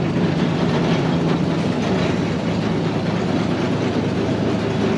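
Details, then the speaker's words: Barn-find Massey Ferguson 300 combine six-cylinder, just started and idling to warm up: a steady, even low rumble with no knocks or misses, a smooth, healthy idle. "just glad it started nice this sweet little six cylinder it's not that wild just you sit there and run idle"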